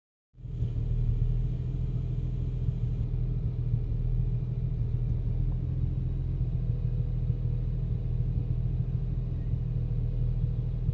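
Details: BMW 335i after VSRF downpipes installed, no error codes: low, uneven idle that fluctuates, surging and sagging, car shakes, no knock; rough idle, cause suspected as the downpipe install, unconfirmed.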